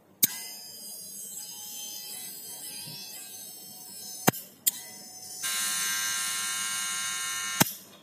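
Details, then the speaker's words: Wahl Senior cordless clipper after service with a new motor mount and the round magnet refitted; even high-pitched buzz at steady pitch with no rattle or grinding, now running smooth and normal. "Oke, suaranya udah halus, udah aman, suaranya udah normal."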